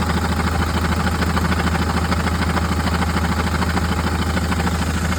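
Steady diesel idle with a fast, even rattle of about three beats a second riding on it, a gearbox-area rattle of unconfirmed cause.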